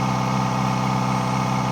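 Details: Kawasaki ZX-4RR at steady idle with a faint extra rushing sound heard from the air intake; abnormal intake noise, exact cause unclear.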